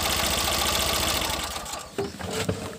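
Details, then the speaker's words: 2012 Tata Nano petrol engine with misfiring, check engine light and poor pickup, now idling evenly after the faulty ignition cable (plug wire) was replaced, then switched off. "तो अभी इस पर चालू करके देखेंगे। काका मार चालू। ये देखिए फ्रेंड्स, गाड़ी ओके चालू हो रहा है।"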